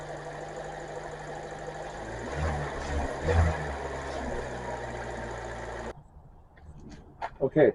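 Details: Brand-new Kia K4 with the hood up, baseline before Seafoam in the crankcase and fuel (a before/after injector sound test): quiet, smooth idle with a soft, even purr and no ticks or knocks. Healthy.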